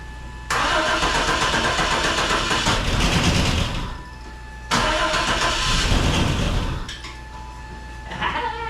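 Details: 1988 Camaro that sat for a decade, first start attempt fed from an external fuel jug and pump with the battery just hooked up: two long cranking bursts at about four turns a second, each dying without catching; long crank, no start.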